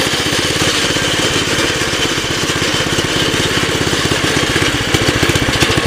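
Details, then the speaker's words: 2006 Baja Warrior, seemingly low-mileage, reportedly new clutch, cold start, choke off, with wind noise; fast, steady single-cylinder putter with a slightly uneven edge; runs a little rich, owner plans a carb rebuild or replacement. "yeah she's definitely running a little Rich there worst comes the worse throw a $25 carb on it"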